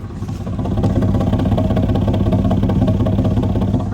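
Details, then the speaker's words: 2004 Ford F-150 5.4L, 121,000 miles, hesitates under acceleration, no check engine light: at warm idle one exhaust bank puffs unevenly, about three beats a second; timing checks correct by scope, so a bad valve is suspected, not confirmed. "but okay now so earlier when I very first started it you know the exhaust didn't sound bad but now that it's been sitting here running while I listen to this driver's side"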